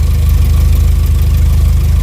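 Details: VW Jetta A4 MK4 2.0 petrol at idle, new plug wires fitted, deep lumpy uneven idle with engine shaking and strong fuel smell, no catalytic converter; weak ignition coil spark on one side causing cylinder misfire.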